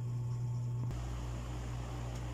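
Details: Dowell electric fan after adding a washer to replace the worn thrust washer: steady, even hum, no rattle or scraping; the former rattle is gone, running smoothly.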